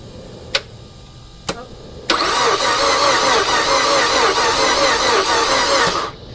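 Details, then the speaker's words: 2007 Mazda 6, 2.3 four-cylinder, cranking with gas applied: uneven quick cranking beat for about four seconds, never catches; compression doesn't sound good, owner has read piston rings can fail when hot; cause unconfirmed. "the compression doesn't sound real good on this car they never do actually so i'm not real sure if that's it or not"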